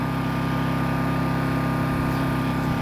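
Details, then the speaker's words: WEN 1250 watt inverter generator in eco mode: steady, even low hum with a light pulse and no knocks or surging; normal running. "I'm going to back up about, say, 15 feet. I mean, you can barely hear the thing."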